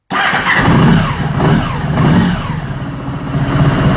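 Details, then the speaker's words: Honda ST1100 Pan European started with the red start button while its tip-over (fall) sensor is held upright during a sensor test: engine fires promptly and settles into a steady, even idle with no stumbling or knocks; healthy start. "je mets le Star bouton rouge je fais démarrer la moto"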